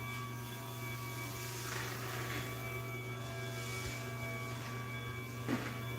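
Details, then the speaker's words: Garage door opener running without the door attached after a swap: steady low hum with high whine on top, opener sounds really whiny. "and this thing sounds like crap all right without the door [Music] yeah really whiny"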